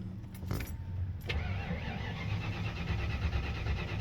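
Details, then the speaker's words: 1992 Mustang GT Foxbody 306, quit on the highway after stumbling twice and backfiring. Steady starter churning, about three compression beats a second, with no catch or firing. Owner suspects fuel filter (just changed), TFI ignition module or distributor. "it's always started it's always ran uh even almost a year ago when I got it I had to drive it probably 45 minutes home and it's not cooperating"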